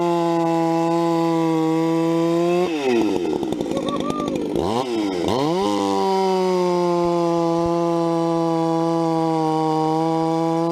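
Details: Vintage 266 chainsaw, recently started after sitting a while, bucking firewood: steady high two-stroke buzz dips in pitch as the chain bites, then picks straight back up; healthy saw cutting strongly.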